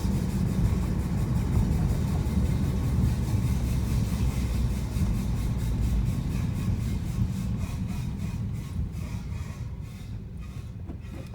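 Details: 2015 Honda Civic Si: loud, harsh grinding from the wheels after a brake change, pulsing about four times a second as they turn.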